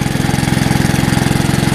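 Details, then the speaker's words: Old Hayterette mower, single-cylinder petrol engine after ignition coil and carburettor conversion; it had been low on fuel, refilled and now runs well, smooth even firing with no misses; normal running after an hour and a half fix. "Gasket, because it dawned on me the fuel was low, so put some in and it runs well now."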